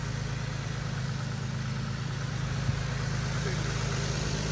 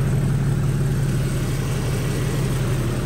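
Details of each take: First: 2012 Infiniti M37x at idle with engine cover off, PCV delete done, during radiator replacement: smooth, even idle with a steady low hum and no skips, ticks or knocks; normal idle. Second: 2012 Infiniti M37x V6 idling after radiator replacement: low uneven puffing pulse about three a second from an exhaust leak at a failed gasket.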